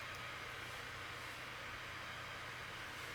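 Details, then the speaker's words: Failing laptop preparing files to render in Movie Maker, possibly near shutdown. Steady, even airy rush with the fan at max speed under heavy load; cause unconfirmed. Cooling fan running at high speed. "and if you can hear now the fan is definitely cooking faster like Max Speed so it might not even make it to the render point"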